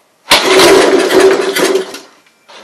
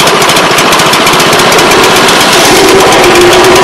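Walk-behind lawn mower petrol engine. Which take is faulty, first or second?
first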